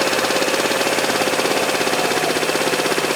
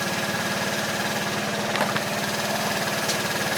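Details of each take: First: 2012 Piaggio Typhoon 125cc scooter, carburetor mixture screw being adjusted from 1.5 turns, turned in: small fast slightly uneven buzzing idle begins to sag; idle speed dropping from screw turned in too far. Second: 2012 Piaggio Typhoon 125cc scooter after carburetor float setting and mixture screw tuning (about 1/2 turn out): quick even putt-putt idle, no stumbling; normal idle.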